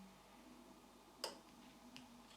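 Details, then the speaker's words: Porsche Design coffee maker built by Siemens switched on: lamp lights and brew-timer relay clicks faintly about half a second apart in near silence, no hiss or gurgle, no steam or coffee; failed heating element. "Когда я включаю, все кажется нормальным Лампа включается, и вы слышите щелчки реле времени заваривания"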